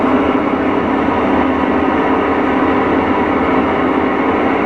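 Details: Whirlpool Cabrio top-load washer before a bearing/seal kit replacement: an extremely loud, heavy continuous train-like rumble through the spin from badly worn tub bearings. The tub was stuck on a corroded shaft.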